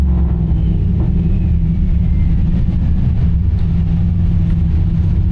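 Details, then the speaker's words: Turbo Oldsmobile with a small turbo and Holley Terminator X EFI, dyno tuning a full-throttle pull with one more degree of timing added: deep, heavy, steady roar under load with no drop or stutter. Boost holds through the pull. "Put one more degree in it just because I know we got plenty of room. Held boost."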